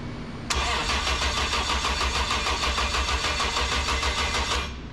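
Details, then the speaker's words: First start attempt on a newly installed 2JZ engine, cranked with the clutch pressed: about four seconds of rhythmic cranking pulses with a harsh metallic rasp, no firing. Owner thinks the clutch sounds tight or strange; cause unconfirmed. "metal noise sounds like tight clutch Man, this clutch has a very strange noise."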